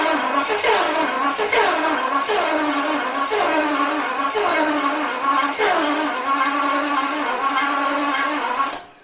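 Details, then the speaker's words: 1977 Daimler Double Six V12 coupe sitting since 1982, cranking: steady rhythmic starter pulses about two per second that never catch; few injectors heard clicking, possibly only cold-start injectors firing; cranks but won't start. "I'm not hearing a lot of injectors clicking. I heard one on that side."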